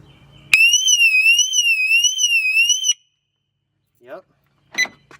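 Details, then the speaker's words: 2006 Mercedes-Benz W211 E350 4matic after replacing the failed alarm siren, tested installed: loud electronic siren warbles up and down steadily about four times a second; new siren works properly. "that's it it's all working let's go"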